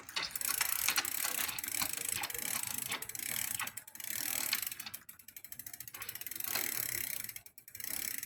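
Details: Smith First bicycle makes a dry scraping and ticking with each pedal stroke; first blamed on the bottom bracket bearing, it was the crank arm letting the chain rub the derailleur; fixed with a new Shimano crank.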